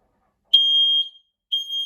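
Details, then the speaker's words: Home fire alarm system test, detector triggered with deodorant spray: loud piercing high tone near 3 kHz in long steady blasts with pauses; detector responding and sounding properly, normal. "I have some deodorant. You're not meant to use deodorant when you're testing fire alarms, but so I've got to hand, so yeah, I'm gonna have to be doing it."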